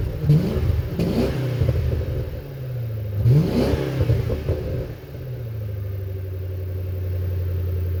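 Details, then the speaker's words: Crown Victoria (Panther) V8 after Magnaflow glasspacks and Speedmaster X-pipe replaced suitcase mufflers and H-pipe, stock resonators and tips kept; deep burble with two quick throttle blips settling to steady mellow idle; healthy exhaust, not very loud. "Not very loud at all, but it's something, so I'm happy. I didn't really want it deafeningly loud."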